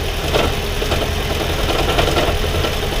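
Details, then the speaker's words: Toyota Prius hybrid engine at idle: steady idle with an uneven low rumble and faint recurring rough pulses; this noise means a failing head gasket that will become catastrophic. "need to watch this video because you have a failing head gasket and it's gonna be catastrophic."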